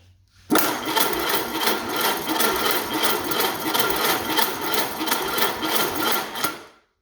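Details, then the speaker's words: 1929 Ford Model A doodlebug with an unknown donor engine, cranking on its own 6-volt battery and circuit after grounding is fixed: even, fast whirring crank at about three pulses per second, turning freely but not firing; normal healthy starter cranking. "Yep, that sounds like a sixvolt system to me."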